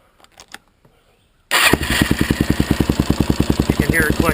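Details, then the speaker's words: Suzuki LTZ / DRZ single-cylinder ATV engine fires up and idles with steady clicking from a slack cam chain caused by a loose tensioner. Screwing in the manual tensioner until the noise almost disappears, then tightening the nut, fixes it. "hear that clicking noise that's the cam chain in there"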